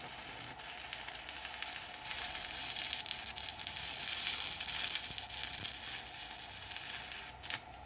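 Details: Pampa Hogar ARC 200 inverter stick welder, 160 A, slag-producing rod: steady, even crackling sizzle with no sputtering or breaks; stable stick arc laying a good bead.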